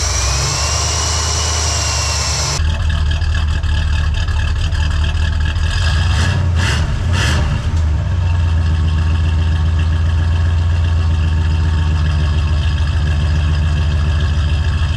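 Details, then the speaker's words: Oldsmobile 350 V8 in a Cadillac, new Edelbrock 2711 no-EGR intake, coolant drained and engine stone cold after sitting all day: quick crank, catches almost instantly, settles into steady even idle with light blips; healthy cold start. "i cannot believe how quickly and easily it started considering this car's been sitting here all day and i drained all the coolant out and this thing was stone cold"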